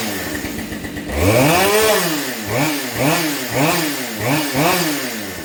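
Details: Husqvarna 572 chainsaw after top-end replacement following a failed wrist pin clip: after a short idle, five or six quick throttle blips climb and fall cleanly with no bog, rattle or scraping; the saw revs freely.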